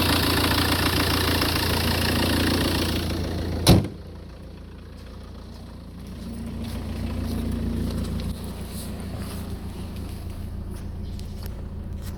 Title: Peugeot 406 2.0 hdi making strange noises & unstable idling